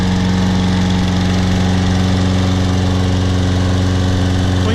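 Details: Toro Personal Pace Recycler 22-inch mower with a 190cc 7.0 gross torque Briggs & Stratton engine, first start after carburetor cleaning, a gas tank flush and a new air filter: a steady, even putter with no misses or knocks. It runs normally.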